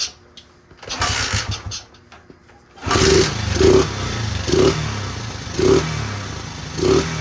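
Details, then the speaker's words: 1977 Honda XL75 small single, marketplace bike, first start, carb not cleaned, choke on, throttle bunged up: fired on one kick, blipped about five times, each rev rising and falling cleanly; runs pretty good, no smoke, float bowl seeping. "Little XL75 runs pretty good for not having a carb clean."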